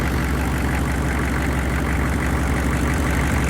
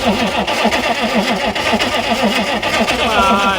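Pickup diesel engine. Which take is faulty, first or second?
second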